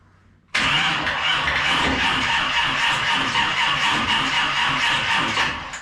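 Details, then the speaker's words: 1946 Chevy pickup with 350 small block, on jumper leads with flat battery: starter spins engine in even churning rhythm about five seconds without catching; no spark, coil lead not plugged into distributor cap. "I haven't plugged this into the the distribut a cap so that may have some bearing on why I don't have any spark or it won't fire aside from the flat battery"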